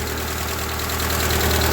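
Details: Ford 2N tractor engine at steady idle after being tried in all four gears, belt off and water pump not turning; even, fast chuffing beat, no miss or hammering knock; running normally with strong oil pressure.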